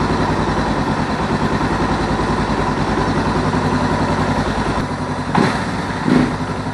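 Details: Suzuki DR650 single after replacing the leaking rubber seal in the fuel cock (had run rough), started with a bit of choke: big single thumps along at an even, steady idle, no misses, ticks or surging; runs normally.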